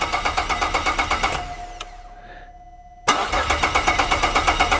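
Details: 2004 Holden VZ Commodore 3.6 L V6 cranks steadily at about three beats a second, pauses, then cranks again without catching: crank, no-start; suspected common VZ ECU failure, starts when relay pins 30 and 87 are jumped with the key on.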